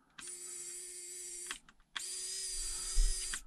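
Two short whirring runs, each about a second and a half with a steady pitch and a clean stop: small winch motor working normally.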